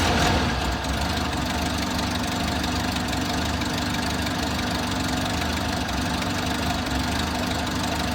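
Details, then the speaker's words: Toyota Hilux six-wheel truck after fuel tank replacement, fuel filter and spark plugs replaced: uneven, lumpy idle that idles, dies and kicks up again; ran fine for about a day, owner suspects a fuel problem, cause not found. "It ran good for about a day. I drove it down to town and back a few miles, but now it's got an odd idle. It idles and dies and kicks up and dies."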